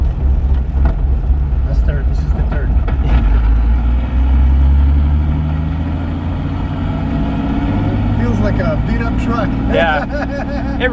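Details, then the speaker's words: 1991 BMW 325i E30 manual with Megasquirt 3, pulling in third; low droning transmission growl under road rumble that goes away with clutch in, source unconfirmed. "Yeah, and you hear that transmission noise? Yeah. You know, when you press the clutch in, gone."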